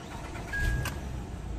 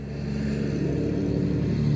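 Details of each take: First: 2008 Acura TL 3.2 after repair of random misfires (P0300, P0302, P0303, P0305) and codes cleared: low steady idle hum with no stumbling or shaking; misfire gone. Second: 2008 Acura TL 3.2, almost 200,000 miles, idling with codes P0300/P0302/P0303/P0305: low idle rumble with an uneven, lumpy undertone as cylinders 2, 3 and 5 misfire. Coil packs and spark plugs are to be checked.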